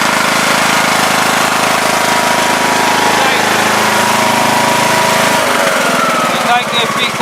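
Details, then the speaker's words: Craftsman LTS2000 lawn tractor driving after tightening a stretched drive belt and adjusting cable tension: steady engine drone holds even under load then drops off; drive pulling properly with more speeds now. "so I think the belt was stretched a little, so we just tightened it. And you can see now it seems like you got more speeds and acts like it's working."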